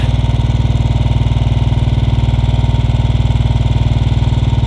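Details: Royal Enfield Bullet 500 Standard (UCE) with a UCD33 carburettor, mixture screw turned clockwise to its leanest: warm single-cylinder thumps at a steady raised idle; the leanest mixture it runs on before stalling.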